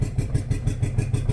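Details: Renault Kwid with late starting, slow pickup, a faulty accelerator pedal and codes 033564/0313F8, including a cylinder 1 injector open circuit: uneven, lumpy pulsing about six beats a second, loud through an open silencer, misfiring.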